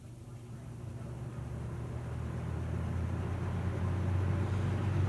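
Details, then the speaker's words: 1995-96 Lasko box fan after thrust washer replacement and oiling, starting on low: hum and air rush build smoothly to speed instantly instead of about five minutes before; normal start-up after repair. "see before it taken probably five minutes to come up to speed now it's instant again so we're back in business ready for another fan season"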